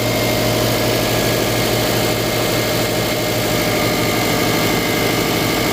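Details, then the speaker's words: Subaru Forester 2.5L EJ25 after intake manifold removal and fuel line replacement, run about 20 minutes toward operating temperature and bled of bubbles: steady, even low idle with a smooth rumble, no knocks or misses; running really good. "It's been running for about 20 minutes. It's bled. No more bubbles in there. This is a good. It's running really good. Idle's really low."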